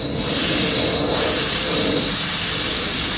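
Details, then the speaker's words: Air compressor line release valve venting: a steady sharp hiss for a few seconds as it empties the pipe system but not the tank; normal air line venting. "it empties the system empties the pipe system not the tank the tank faceful only the line"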